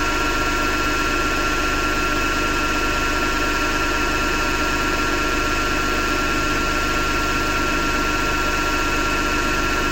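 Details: Hotpoint Ariston FMD963 washing machine: constant harsh grinding rasp under a steady mechanical hum while running; owner suspects the motor rather than the drum and plans to remove the belt to test it.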